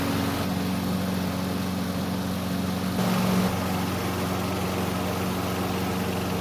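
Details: Lawn vacuum small petrol engine, fresh gas, bag-latch safety switch bypassed via ground wire: runs steady at fast even beat with no load change; starts and runs but weak suction, won't pick up leaves, cause not yet shown.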